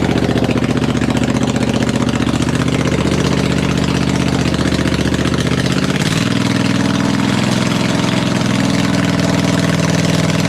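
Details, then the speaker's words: V-twin engine on a homemade machine, running open with no muffler: deep, even burble with steady firing pulse and loud unmuffled exhaust; smooth, clean, healthy idle. "And the engine runs. It desperately needs a muffler cuz we're just running open right now, but it sounds great."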